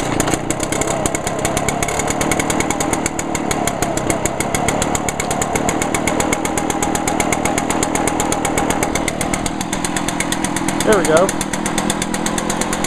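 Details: Echo 2-stroke unit, 2010 SRM 225 trimmer (21.2cc) or PB-500T backpack blower (50.8cc), unused about six weeks: runs steady and even at a high buzzing pitch, no stumbling or surging once caught. Normal running.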